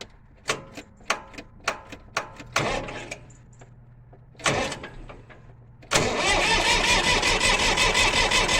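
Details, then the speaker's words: International 484 tractor starter motor clicking: sharp clicks about three a second, no cranking, engine never turns over. Owner suspects a dirty electrical connection somewhere down by the starter; cause not confirmed. "ah that problem again okay got a clicky starter motor as you can hear"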